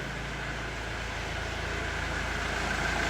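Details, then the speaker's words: Euro diesel engine just started, held just above 1000 rpm to purge air: even clatter about four pulses a second, firming as revs rise, no stumbles, slight belt squeal; normal diesel idle. "that might sound loud but trust us that is the quietest Euro torque engine I have heard in a long long time it is just glorious"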